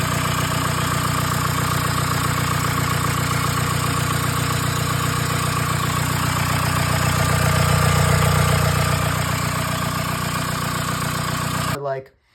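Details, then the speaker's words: 1981 VW Rabbit Pickup with AHU/1Z TDI swapped in, first running after fuel priming and fixing a wiring fault causing injection pump voltage dropout: even diesel clatter at steady idle, about 2.5 beats a second, then clean shutdown; normal idle. "All sorts of fuel system runs, all sorts of everything. Ultimately ended up get it getting it to run. Put a clip in right here of what it sounds like."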